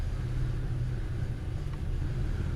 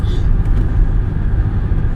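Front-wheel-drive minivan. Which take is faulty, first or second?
first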